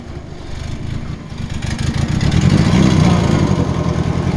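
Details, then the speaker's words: Long-neglected Nissan Silvia S13 starting up: catches and builds to an uneven, lumpy idle about three pulses a second, misfiring; suspected water entering a cylinder from the head gasket. "Getting a bit of water into the cylinder from that head gasket, Yeah, no. I'd say."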